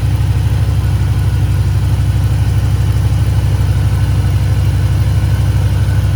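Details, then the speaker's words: Range Rover P38 air suspension (EAS) with freshly rebuilt valve block at low height: compressor pumping the tank back up to 150 psi, a low steady drone with a fast even pulse, no grinding or rattle; normal operation. "now we'll wait for the air compressor to pump the tank up again and we'll go to standard height"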